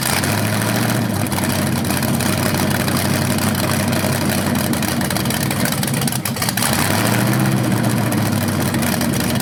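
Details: First run of a BluePrint 396 big-block crate engine on a stand outdoors for a 1970 Camaro SS, with headers, oil primed and timing checked: steady, even idle with two clean throttle blips; sounded good, no leaks, though revving sounded different, possibly headers or flywheel.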